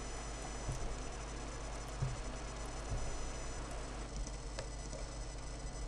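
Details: Dell Precision M65 notebook after mainboard replacement: thin high whine under a low hum, with soft irregular ticks every second or two; internal electrical or drive noise.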